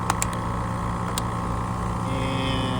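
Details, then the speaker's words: AC condensing unit with melted disconnect forks: steady low compressor hum under even fan whir, no clicking or buzzing; runs normally, 65.26 A compressor inrush, about 6.8 A running, 0.66 A fan. "All right, 65.26 inrush on the compressor. And we're pulling about 6.8 amps in the compressor."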